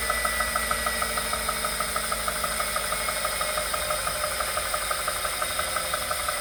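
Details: Wahoo Kickr Core bike trainer: high whine throughout with a fairly steady knock about three times per second from inside the trainer. Source unknown.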